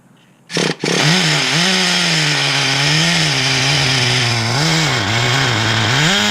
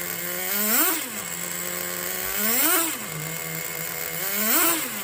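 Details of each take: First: 2006 Traxxas Nitro 4-Tec (Model 4809) with rebuilt TRX 3.3 engine, first tank, started with slight throttle: high buzzy engine hunting, revs sagging and surging unevenly, keeps dying; owner suspects mistuning or too much fuel, unconfirmed. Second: 2006 Traxxas Nitro 4-Tec (Model 4809) with rebuilt TRX 3.3 engine, warm, running with the body on: steady idle with quick blips rising and falling cleanly about every two seconds, picking up crisply; normal running.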